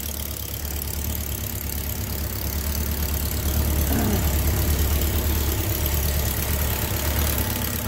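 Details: 1999 Kawasaki Concours ZG1000, 54k miles, at idle after valve adjustment (valves had no clearance; intake set to .007); light regular clack about three a second, amplified by the valve cover; dealer called it rod knock, but it was a worn cylinder 3 intake cam follower with a quarter-inch groove.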